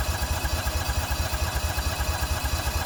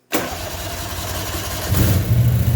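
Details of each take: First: Toro Workmaster 3-wheeler under restoration, cold first start of the morning at half throttle, several inches of gas in tank; steady chugging cranking, about ninety pulses a minute, never catching; fuel shutoff heard clicking but no fuel reaching engine. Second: Toro Workmaster three-wheeler under restoration, restarted at half throttle two minutes after stopping, previously crank-no-start from fuel supply: fires at once on choke, idle rises slightly then holds steady and even; normal choke start.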